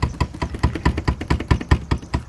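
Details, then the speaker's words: Car door rattling over cobblestone road: heavy low knocks about five times a second with each bump, from a poorly adjusted door latch striker; fixed by adjusting the striker rather than taping it; loose door latch striker rattle. "aí pra galera que tem um problema e não quando um calçamento de uma barulheira na porta em um pessoal botando fita isolante e está aqui ó não faz a galera quer ver como é que dá o barulho"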